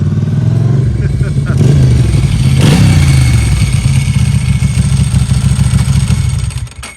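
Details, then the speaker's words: 1993 Ducati Paso V-twin barn find after mechanic's service: deep, lumpy throb swelling as it rolls in and settling to idle, even beat with no misses; engine running healthy. "Oh my God, that sounds so good. Yeah, it's definitely got the classic sound. It's so Ducati sound."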